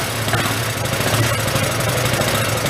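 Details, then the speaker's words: Hyosung Aquila GV250, sat 9 years, running after starter fluid while clearing excess cylinder oil: quick, even firing with a slightly uneven low burble but no knocks or ticks. The suspected bad cylinder heads or valves seem fine. Normal running. "We thought we had bad head cylinder heads or valves or something. Actually, seems it's pretty good. Quiet too, huh?"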